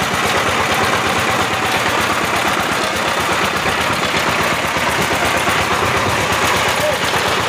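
Busy, even mechanical chatter with a steady clatter about three times a second; no grinding or knocking stands out from the tiller.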